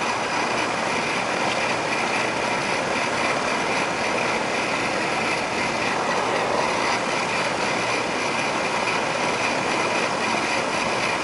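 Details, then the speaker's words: Rheem AC outdoor condenser running after repairing a low-voltage short from the contactor that had taken out the air handler's transformer: even, steady fan rush over the compressor hum, no knocks or surging; normal operation, charge possibly low. "there's the condenser hear it this is the condenser right here AC"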